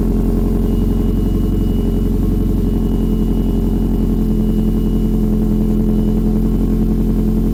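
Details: Saab 9-5 Aero converted to RWD, first startup of a freshly built engine with a newly installed external oil thermostat; steady, even idle with a low smooth drone and faint whine, no knocks or misses. Started at 6 bar oil pressure; healthy.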